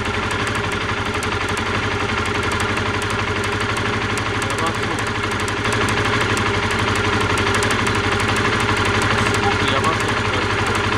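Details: Honda CBR125R, noticed while riding: sharp, rapid, even high-pitched ticking about four per second over the idle; spark arcing from a corroded, rusted spark plug lead, plug lead replacement suggested.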